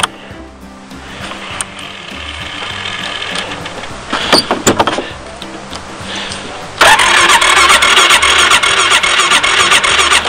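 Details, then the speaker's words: Machine getting ready for winter, lately needing long cranking: steady starter churning for several seconds before engine catches and roars up; owner suspects fuel draining back to tank after sitting over three days, manually pumps fuel to carburetor; cause unconfirmed. "problem with you had to crank a long time before it starts so lately I've had to watch it won't start now"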